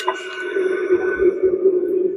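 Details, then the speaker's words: Idler pulley spun by hand, with play in it: a rough, warbling whir that slowly fades, a worn, fried idler pulley bearing that needs replacing. "Hear all that noise. That bearing is bad. Fry. Needs to be replaced."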